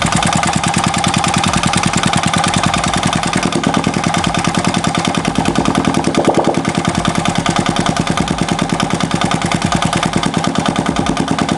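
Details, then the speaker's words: Used 2015 Yamaha Jupiter Z1 idling with the exhaust blocked so the engine can be heard: loud, fast, even tapping over a rough idle. Loud noise comes from the valves at the front and a rough noise from the middle of the engine; this is valve train noise. "jadi saya mendengar suara itu besar sekali dari depan sini dari klep dan suara kasar juga dari tengah sini"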